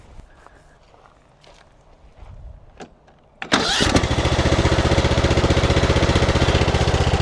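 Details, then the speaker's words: Mower under a year old with about 23 hours, still sounding bad after dealer warranty work: lumpy, pulsing rough idle that worsens the longer it runs, clattering at low idle though fine at high idle; it did not used to do this. "The longer it runs, the worse it sounds, especially at low idle."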